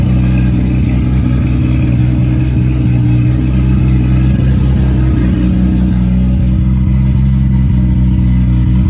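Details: Nissan S14 240SX with freshly built 1.5JZ non-VVTi (272 cams, twin-scroll 6865 turbo, 2150cc injectors), first start: loud steady low drone, stable firing beat, no knocking or grinding; running smoothly.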